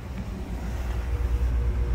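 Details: Geothermal loop circulator pumps running evenly with a low steady hum, no rattle or cavitation gurgle, after the loop was repressurized to about 28 psi from below 10 psi during pump replacement; the pumps sound normal.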